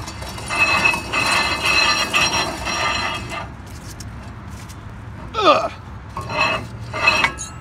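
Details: Chevy van front wheel spun by hand: gritty, ratcheting grind with metallic clinks from a worn front wheel bearing.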